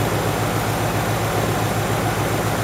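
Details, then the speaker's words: Ford GT40 built from scratch, first engine test on bare chassis, warm, exhaust with only a catalytic converter and no silencer yet well muffled; deep, even V8 burble at steady idle with no misses, knocks or rattles: normal idle. "Pues amortigua molt, Molt, m'he quedat molt pagat, perquè pensava que faria molt soroll."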